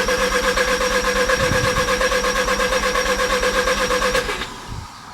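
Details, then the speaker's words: 1987 Mazda RX7 FC3S Turbo II rotary, sat in a field five-plus years, cranking for the first time with the rotor housings lubricated, plugs cleaned and no fuel pump: even cranking with regular compression pulses, turns over freely and sounds good. "the first actual crank with lubrication the rotor housings"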